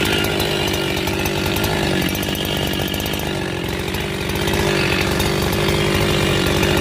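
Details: Husqvarna 372XP chainsaw after rebuild: holds a high, steady scream under cutting load and recovers crisply from slight bogs; engine pulls cleanly.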